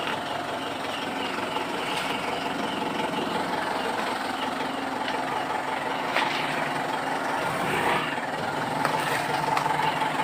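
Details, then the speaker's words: Mitsubishi Pajero that squeaked like a rat when shifting into gear, suspected at the propeller shaft cross joint; the joint was greased, not replaced. Steady even rumble with no squeak after greasing; normal drivetrain running. "Kita kasih bet atau Kris ini sudah normal kembali nah ini oke nah itu kita kasih fat nah dan akhirnya ndak bunyi ya udah kita tes ini"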